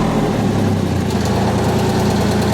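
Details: Miller 400D welder engine, brushes and slip rings checked good, about 32 volts at idle: steady, even low hum with a smooth, unbroken idle beat and no knocks or misses; normal idle.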